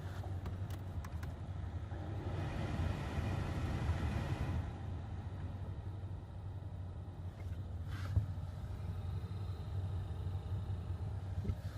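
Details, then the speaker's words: 2015 Ford Fusion base model blower motor, noisy since purchase, after swapping in a junkyard replacement motor: low steady hum with no squeal, ticking or rattle, nice and quiet; normal blower motor operation after repair. "nice and quiet what a great thing"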